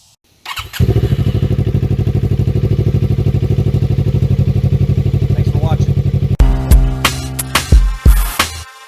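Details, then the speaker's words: 2018 Suzuki GSX250R twin after a K&N SU-2513 air filter install, with fairings reassembled: quick catch, then a steady, even idle with no misses or knocks. Normal engine start. "Okay, with that filter installed, we're ready to button up all the fairings, put everything back together. We'll fire it up, see if everything's good to go."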